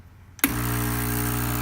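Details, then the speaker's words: Breville BES820XL espresso machine after replacing stuck solenoid valve that caused leak and grinding; steady even pump buzz, constant pitch, no clicking or grinding, running normally. "all right there it is espresso machine functioning once again"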